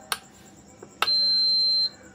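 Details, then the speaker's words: Induction stove whose cooling fan wouldn't run, after replacing faulty 8050 switching transistor that withheld 18 V from fan: two faint clicks then one steady high-pitched beep under a second, warning because the stove is left open; fan now runs. "நம்ம இப்ப ஓபன்ல வச்சிருக்கனால இந்த beep sound வந்துட்டு இருக்கு"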